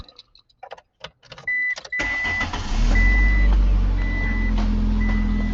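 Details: 1999 Ford Escort, transverse engine, started before the fuel pump inertia switch test: some clicks, then a steady, even idle with a smooth low hum and a chime beeping over it. Normal idle.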